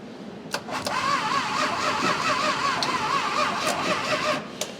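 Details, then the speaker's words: 1966 Chrysler Crown Imperial big block, sitting 21 years, solenoid wire trimmed, worn ground cable; labored, warbling gear reduction starter whir, slow dragging turnover about four seconds, never fires; slow cranking. "It's not turning over very fast. The old Mopar gear reduction starter is begging for mercy."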